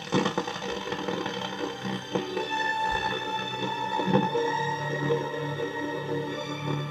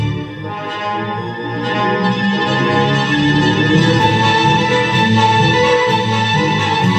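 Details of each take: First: 1961 Grundig valve powered speaker, 220 V design run on about 240 V through a dim bulb, after replacing a coupling capacitor: music fuzzy and gritty with a harsh edge on every note; distortion persists, cause not yet found. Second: 1961 Grundig powered speaker, valve amplifier, after repair of blown fuses and overheating, run on 240 V though designed for 220 V: orchestral music plays clear and full with no hum, crackle or distortion, so the amplifier works properly.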